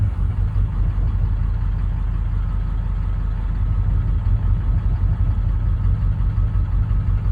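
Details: Chevrolet 6.6L LLY Duramax diesel: long, even low chugging as it turns over at roughly three beats a second without catching; slow, hard start.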